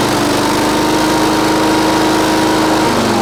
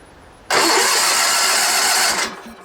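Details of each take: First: Sears Suburban SS16, 16 hp Onan twin, after moving a fuel line hose clamp that the linkage hit: a steady, even buzz that drops smoothly as the throttle comes back, no misses, knocks or smoke; normal running. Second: Sears Suburban SS16, 16 hp Onan twin, sat for years: starter cranks steadily about two seconds, never catching or firing; spark tester then shows no spark, though it ran moments before; no-spark crank, no start.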